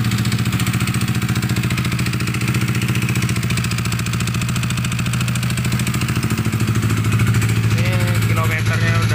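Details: Yamaha NMAX engine previously damaged by water hammer in a flood, smoking heavily and running very rough before a 63 mm big-bore rebuild: uneven, rough chuffing idle with a harsh, dry beat over the exhaust, consistent with a badly scored cylinder.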